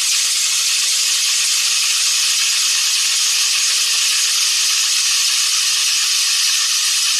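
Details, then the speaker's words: 2015 Toyota Tundra V8 cold morning start after a shop replaced water pump, belt three times and tensioner: loud steady high-pitched screech, severe belt slip lasting 10–15 seconds until the fan kicks in, then a lingering chirp; serpentine belt misrouted. "so it certainly sounds like severe belt slip and it lasted for about you know 10 15 seconds and you heard the fan kind of kick in and then the slip um you know mostly went away but there's still a chirp"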